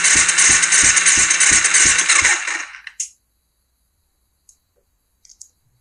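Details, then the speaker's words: 2005 Kawasaki Ninja 250 twin, dry compression test while cranking on the starter: even beat about three per second without firing, light easy strokes; both cylinders read about 120, roughly 100 low, and piston rings are suspected. "okay we've got crap compression on both cylinders down about 100 from where they need to be we around 120"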